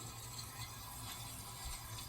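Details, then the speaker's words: 1980s Super dehumidifier with R-12 refrigerant and a replacement fan motor, coil icing up; just after switch-off, a soft steady hiss and gurgle of refrigerant moving through the lines at the back with a faint hum: normal refrigerant flow. "i'm just going to turn it off you can hear the refrigerant running through well back here"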